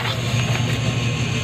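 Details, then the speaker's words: Renault Kwid with no-crank no-start fault: steady low electric motor hum with the key removed, ignition off; ABS pump motor running when it should be off. "गाड़ी को switch off करने के बाद भी वो sound create हो रहा है आप देख सकते हो मैंने चाबी बाहर निकाल रखी है लेकिन बाहर साउंड इतना ही जबरदस्त क्रेट हो रहा है"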